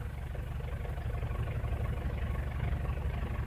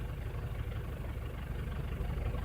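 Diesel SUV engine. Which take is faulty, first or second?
second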